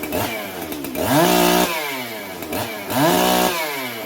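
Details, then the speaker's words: Freshly built chainsaw, cold start on a chilly day during break-in: two sharp blips about two seconds apart, sagging and stumbling back to idle; lean low-speed circuit when cold, cleans up after idling; owner may richen low-speed. "all righty so she seems a little lean on the low speed circuit for a cold like a cold start like today"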